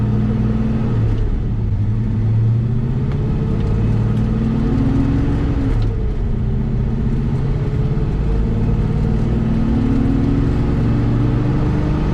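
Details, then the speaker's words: 1971 Chevelle SS454 big block, new Derale 19" fan and Hayden thermal clutch, revved: deep rumble with a loud whooshing fan roar swelling with revs; the fan clutch seems to stay locked instead of freewheeling (suspected). "i shouldn't be able to hear it especially not over a big block chevy with three inch"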